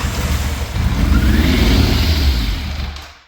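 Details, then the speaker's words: 1980s Yamaha FZ750, fire-damaged, after draining old fuel, fresh fuel and refitting airbox, on a battery booster with a sticky choke: revs up rough and uneven, holds a couple of seconds, then fades and stalls; starts then cuts out. "it starts and then it cuts out now it did run for a fair while with the choke all the way up"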